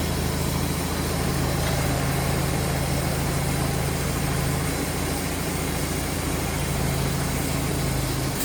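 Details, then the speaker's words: 1951 Allis Chalmers WD tractor, rescued from a farm, back together after cleaning and service: steady deep even idle beat without the clunks and rattles it used to have; sounds much better, normal idle. "Alice WD is back together. That sounds so much better already. These things used to clunk and rattle."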